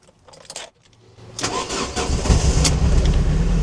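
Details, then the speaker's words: Ford Transit Connect camper van with a flashing engine management light, running very poorly: cranking catches late into an uneven, lumpy, stumbling idle; a misfire. "Not sure if you can hear this, guys, but the van is now running really poorly."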